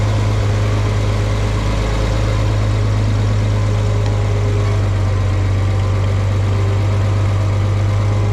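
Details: Farmall 460 tractor, rebuilt engine, just fitted with electronic ignition, driving: deep, steady drone with an even beat and no misses or knocks; runs well, though owner thinks timing advance may need a slight tweak.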